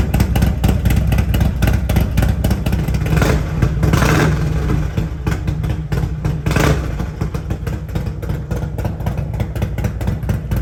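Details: Harley-Davidson Road Glide at Stage 2 with an S&S 475C cam chest, after professional tuning to 114 hp, with TAB Performance exhaust: a deep, choppy uneven idle lope with two sharp throttle blips; healthy.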